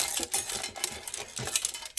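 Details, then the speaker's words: Allen and Heath ZED10 mixer, reported as not turning on and rattling: bright, irregular metallic clicks and skittering as it is shaken, loose screws inside the casing, suspected fallen from mounting points near the power button. "we got screws that are loose inside of here"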